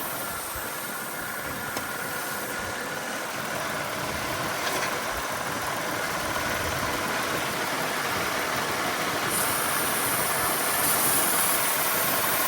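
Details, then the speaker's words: GM 3.8 liter (3800) engine after water pump replacement, warming toward operating temperature, getting a little warm: smooth, even, steady idle with no misses, knocks or ticks; no misfire, no head gasket needed. "pipe sounds good. It's got no misfire. I think this is a home run. No head gasket needed."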